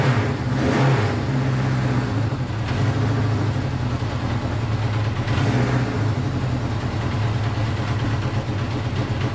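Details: Honda CB500 four-cylinder after carb rebuild and float reset, on auxiliary tank; lumpy idle that surges and dips, firing on all four.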